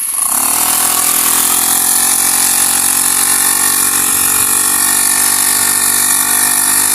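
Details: Honda GX35 grass cutter after cleaning its dirty carburetor: small engine runs with a steady, high, even buzz and holds its speed without stumbling or cutting out. Normal running.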